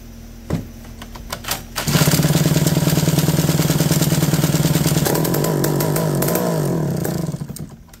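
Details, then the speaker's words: McCulloch D44 chainsaw revived after reportedly 15 years unused and a history of hard starting: a few pulls, then it catches and holds a steady high buzz, pitch dipping and recovering before shutdown; runs cleanly, could use a little more revs. "hey that's nice that's a beautiful sound like a little more revs but"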